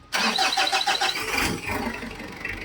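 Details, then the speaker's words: Mitsubishi Adventure diesel, overdue oil change and misfiring, cranks with fast starter after fuel filter priming, catches unevenly and idles rough, faltering; air trapped in injection pump or lines, pump slow to firm up, to be bled at injectors. "Alam niyo mga boss yung ganitong reakson ng makina merong hangin yan dito sa injection pump o kaya dito sa linya niya na hindi matanggal-tanggal."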